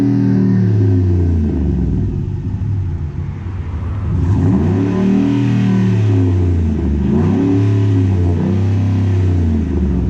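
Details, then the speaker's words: 2010 Ford F-150 V8 after installing Rough Country dual cat-back exhaust, idling then two revs: deep steady burble, no ticking or puffing at joints; normal exhaust note, no leaks. "all right Al let's start it up so you can hear how it sounds that idle this way also we can check for leaks everything looks pretty good"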